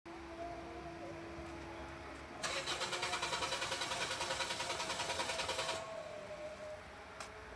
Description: Car taking long self in the morning or hard starting issue?